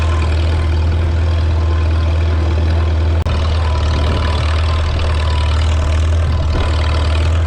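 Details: 1952 Farmall Super C tractor after distributor work (rotor prong bent up; owner unsure if stuck mechanical advance caused the miss): loud, steady low idle rumble, even apart from one brief dropout, running smoothly.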